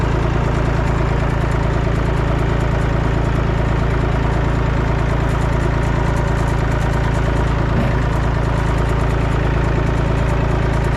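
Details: Massey Ferguson 245 three-cylinder diesel tractor revived after sitting 12+ years with a burnt, melted radiator. It is being driven to the barn and gives a deep, even chug of nearly three beats a second with no misses or knocks: normal running.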